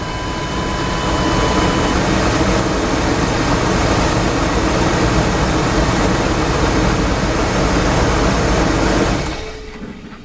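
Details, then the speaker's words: 1987 Chevy Astro van (description says 97) after repair of a crank-no-start, battery reconnected, in park: engine catches and settles into a steady, even run before shutting off, no misfire or stumble; normal start and idle. "We're going to see if this baby will start up. There you go."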